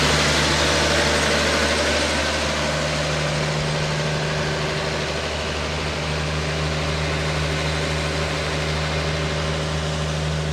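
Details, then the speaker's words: Car with 65,000 original miles, just brought back to life, running with no smoke: an old engine ticks over at a steady, even idle of about four beats a second with no misfire or knock, a healthy idle. "no smoke oh I love this whole car love it love it love it [Music] so there you have it it lives again"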